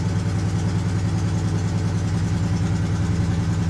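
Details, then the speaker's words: Ford F-350 ambulance, 5.4 Triton V8, high mileage, jump-started at auction: deep idle with an uneven stumbling beat about three per second, a misfire that gradually smooths out, though still runs rough. "oh she sounds good sounds like a misfire though aside from the misfire sounds good"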